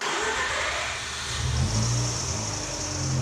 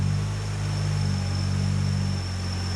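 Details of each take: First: Mazda RX-8, new 13B rotary build with 180 miles, new O2 sensor just fitted, battery reset and idle relearn done: short crank, catches at once, steady even idle; clean cold start, though idle later surges when warm. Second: Mazda RX-8 with new 13B rotary build, 180 miles, warmed up: idle surges from about 1100 rpm down to about 820 rpm; intake temperature, MAF and idle air control valve read good; owner notes it begins when cooling fans switch on.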